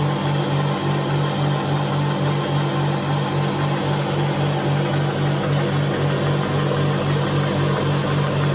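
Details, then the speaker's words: High-pressure airgun AC/DC compressor (with temperature readout, rated to 4,500 psi) running: quite loud, steady drone with even low pulse and constant pitch, no knocks or rattles; reaches 4,000 psi quickly, normal running. "AC/DC gives you a chance to hear what it sounds like. Quite loud. Not near as loud as, it could be the same. It's just still louder."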